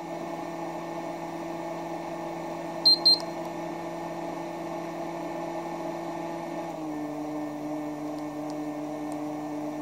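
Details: ELTEK EVD-MIN 1kVA UPS cold-started on battery with utility power disconnected (unit has error 09/bypass fault when on utility): two quick high beeps over a steady electronic hum that drops slightly in pitch; normal cold-start beeping.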